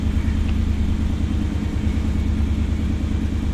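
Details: 1991 Pontiac Firebird Trans Am, after a new water pump and a replacement for the defective battery: deep, even idle at about three pulses a second with no stumbling. Charge holds on the dash gauge and no overheating; idling cleanly.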